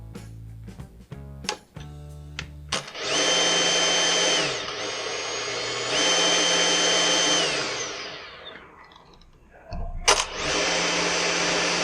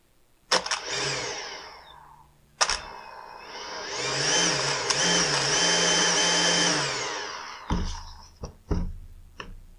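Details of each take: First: Husqvarna T536LiXP battery chainsaw that ran erratically, tested after trigger switch replacement: a few handling clicks, then the motor spins up to a clean, steady high whine three times and winds down smoothly. Normal motor run. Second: Husqvarna T536LiXP battery-powered chainsaw with the customer's complaint of erratic running: the motor jumps on and off in short bursts and its pitch wobbles, so it will not hold a steady speed; cause not yet found before the saw is opened.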